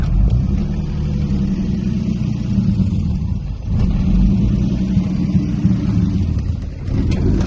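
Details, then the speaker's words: Turbo M50 BMW E30 running before tow: loud, heavy, uneven roar dipping every few seconds, battery light flashing as voltage dropped; alternator suspected, unconfirmed. Loud rough running. "It sounds... The engine is so loud."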